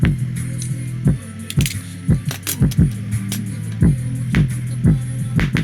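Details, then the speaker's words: High-end Sony speaker with a tiny voice coil, playing heavy bass music: a harsh slap and crackle about once a second as it is cranked; the cone is bottoming out, and a coil fault with a burnt smell follows. "Oh my god, it's already bottoming out."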